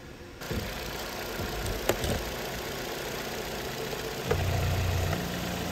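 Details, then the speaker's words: Vauxhall Astra after fixing P0171 lean code by replacing the rocker/valve cover with its integrated PCV valve (vacuum leak): quiet, even idle with steady low hum, no hunting or hissing; fuel trims corrected, normal idle. "New vacuum on the rock cover. All good."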